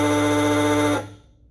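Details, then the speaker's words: 1931 Ford Model A Coupe horn after cleaning the commutator and brushes: raspy steady buzz of about a second then cut off; it works but sounds harsh, armature suspected too tight. "Sounds like it's a little too tight, that armature."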